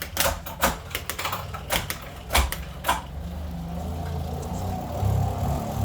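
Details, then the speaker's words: Elite Turbo Roteo indoor bicycle trainer, about 50 hours of use: a squeak that fades at speed, then a steady low rolling drone that grows louder under hard pedalling; forum posts suggest loosening bearings. "when you're cycling hard that gets louder and louder"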